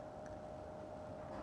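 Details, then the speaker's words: Idle Sapphire Nitro+ Radeon RX 590 Special Edition on a test bench with a sketchy power supply: a faint, steady mid-pitched coil whine with crackling and ticking over a hiss, card doing nothing. "We tossed in this Sapphire nitro plus Radeon RX 590 special edition for maximum coil whininess. Even when this puppy is not doing anything."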